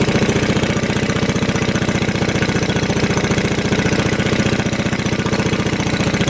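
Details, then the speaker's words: 1965 Tatran 125cc scooter after 40 years in a barn: steady cranking with no firing; spark intermittent despite cleaned points and new plug, owner blames the coil, also suspects low compression after a carb backfire. "tried a different plug and nothing's working so it's continuously sparking and then it lose a spark Sparks lose a Sparks and continues to do that no matter what I do"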